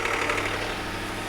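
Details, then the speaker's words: Ford Crown Victoria police car with a fuel-injected 4.6 V8 and 130,000 miles, first start after sitting 12 months. It fires and settles into an even, steady, silky hum with no miss or knock; a healthy idle. "There we go. Solid. 12 months. Let's say it. Never doubted it. Good old fuel injected 4.6."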